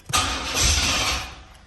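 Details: Chevy box with a fuel-injected 305, starter fluid sprayed in: short burst of cranking that swells and fades without settling into an idle. Cranks but won't start; fuel pump heard afterward.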